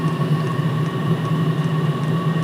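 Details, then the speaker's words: All-in-one 12V/24V/240V diesel heater running on a 12V supply, lit with the glow plug not yet switched off. Steady low hum with a fine whine above it, smooth and even; heater running normally. "well let's decide it's like it's not put the glow plug off yet but it is lit"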